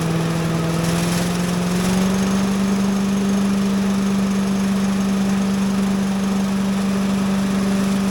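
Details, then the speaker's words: Little Wonder leaf blower with a small single-cylinder Briggs and Stratton engine, started on choke with a little throttle: it catches and settles into a steady drone that climbs a bit with throttle, running evenly with no knocks or misses. Normal running. "going on. Little shaking, but not that bad."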